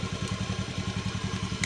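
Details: Fuel-injected scooter after an idle adjustment, charging voltage set to about 12.4 V: quick, even low putter holding a constant beat without hunting or dropping out; idle stable and healthy.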